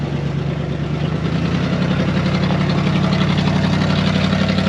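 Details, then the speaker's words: 1974 Dodge W100 Power Wagon, first drive after sitting 41 years: loud, lumpy, rough running in third gear with an uneven beat about four per second; exhaust and carb poor; owner plans to check firing order; cause unconfirmed. "pitiful here this thing runs horrible third gear think runs like [Music] garbage"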